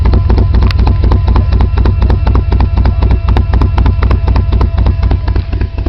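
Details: 1990 BMW E34 520i, M20B20 engine with LPG/petrol conversion, cold engine barely starting on petrol and won't start on LPG. Rough uneven idle with loud irregular chuffs about four a second. Owner suspects the fuel pump. Fuel light always on, gauge not working.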